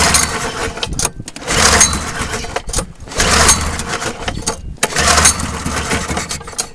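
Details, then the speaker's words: Pull-start engine with a shortened pull cord, whose plug was badly fouled the day before: repeated pull-start rips every two seconds bring brief sputters but it never catches. The cause is not confirmed. "got to crank it quite a bit to to get it to Pump Fuel up and start but anyways um and this one yesterday I had it fouled out pretty bad"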